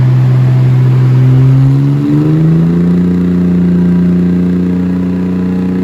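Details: Mercedes W203 "C400" project car on a dyno, after the ignition timing was corrected in the ECU and the fuel ratio tuned under dyno load across the rpm ranges: a steady, even note under load with a clean shift, no misfire or stumble.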